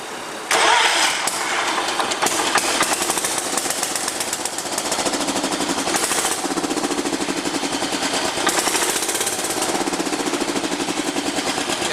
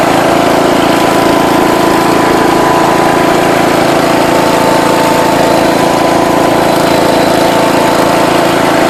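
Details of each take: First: John Deere 210 lawn tractor, rebuilt carburetor, jump-started, choke on: long stretches of even starter churning with brief catches that never take; hard starting because fuel not yet reaching the carburetor. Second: alright guys got it running again this thing flies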